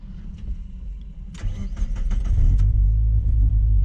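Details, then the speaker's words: NB Mazda MX5 drift car with welded differential, 2°C January day, after limp mode with no power: engine settles into lumpy uneven stumbling idle; it's missing. "yeah hear that yeah it's missing in it"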